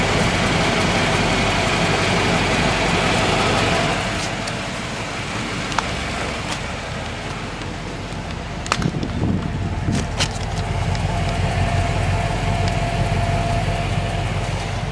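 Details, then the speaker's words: 1995 Cadillac Fleetwood, cold-start idle with new mufflers: low, even exhaust burble with a soft, slightly breathy lisp and no rattles, much quieter than the old failed mufflers; normal idle. "time for an old start cold start very quiet from before you can see the new Mufflers there yeah there's a slight lisp to it but other than that sure as how better than it was"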